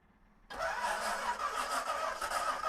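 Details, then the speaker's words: 1937 Buick Century with twin Carter carburetors on an Edmunds manifold, unstarted for years, tank flushed, fresh gas, electric pump, one carburetor spraying fuel: slightly sluggish, steady starter drone with a faint whine, never firing. Cranking no-start. "it's been turning over nice at least so a little sluggish but not bad"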